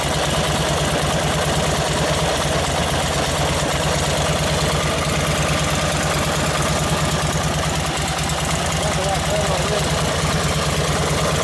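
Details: 1952 Harley 74ci panhead, fresh top-end rebuild, rebuilt Linkert carb, hot, full choke, ignition slightly retarded: V-twin thumps at about 140 beats a minute with ragged, uneven firing; idle mixture running lean, needs a bigger jet.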